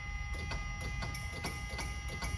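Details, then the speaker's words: DeLorean DMC-12 barn find, 977 miles, off road about 18 years, carb cleaner sprayed in intake, fuel pump fuse out: faint sharp clicks about three a second with no cranking; relay fine, suspected starter signal circuit, dead relay or starter. "relay is perfect but I got no starter I hear the starter barely clicking"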